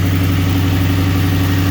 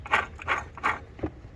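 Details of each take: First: Ford 4.6L Mustang after tensioner and idler pulley replacement, at idle: smooth, steady hum with no belt chirp, squeal or pulley rattle; the belt drive sounds healthy. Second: Ford 4.6L/5.4L V8 (Expedition/Mustang) belt tensioner pulley spun by hand with belt removed; dry gritty rasp in short bursts about every third of a second, pulley has play; tensioner bearing worn out, needs replacing.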